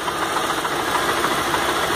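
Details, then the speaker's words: Chevrolet Celta 1.0 2004 petrol: uneven misfiring idle with 12 past fault codes stored in the ECU; cause traced to a poor electrical ground. "ó está falhando a registrou 12 código de defesa na memória da central lá como defeitos passado tá 12 corpos de defeito"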